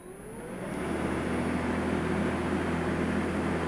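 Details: Makita 36V (2×18V) battery lawn mower started up with no load: spins up over about a second into a steady, even hum and whoosh with a faint high whine. Normal no-load running.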